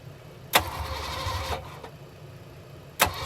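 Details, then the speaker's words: 1989 Ford Mustang GT V8 after a tune-up with new copper spark plugs and plugged vacuum hoses. It starts with a deep rumble, catches cleanly, runs better and sounds good. "seems to be running a lot better [Music] anything sounds good"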